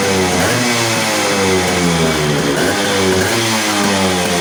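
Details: Yamaha RX100 two-stroke after clutch bell upgrade, which changed settings and raised rpm; after carburetor re-set, loud even buzz rises and falls smoothly with throttle, no hunting or misfire; carb now set right.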